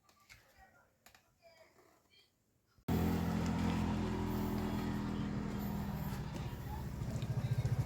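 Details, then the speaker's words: Yamaha Scorpio single-cylinder after repair for stalling and lost compression: timing chain, tensioner and oil filter replaced, kicked several times to circulate oil, then started; catches and settles into a steady, even idle with a regular beat, running smoothly. "Set Yamaha Scorpio sudah selesai dan berfungsi dengan baik. Kami mengganti rantai timing, tensioner, dan juga filter oli, teman. Semuanya sudah berjalan lancar."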